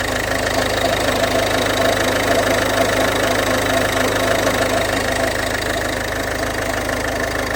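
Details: 2011 Ford Fiesta 1.4 TDCi diesel at idle: steady idle with faint regular tick and slight whirring from front belt drive; accessory drive noise, owner unsure whether pulley or bad alternator.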